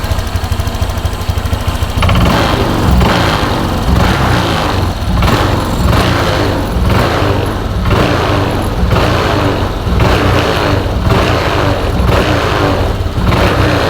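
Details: Honda Vario scooter that hesitated on throttle, after the fuel system was checked from the air filter to the throttle body and reassembled. It fires after two seconds into a steady rhythmic putter with regular pulses, running cleanly without stumbling.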